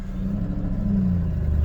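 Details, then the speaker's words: 1989 Toyota pickup with a 1UZ V8 swap, near operating temperature after new injectors and plugs, pulling away on a drive around the block: a deep, even V8 rumble with no misfire or knock. Runs smooth; normal running. "seems we're running great so far oh man she's smooth"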